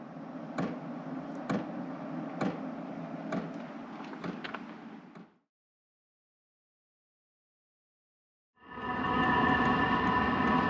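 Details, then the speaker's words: Hcalory 8 kW diesel heater mounted outside an off-grid cabin, at startup while the glow plug heats: sharp ticks about once a second over a soft whoosh, then a steady roar as it fires; normal fuel pump ticking. "okay I can hear the the pump"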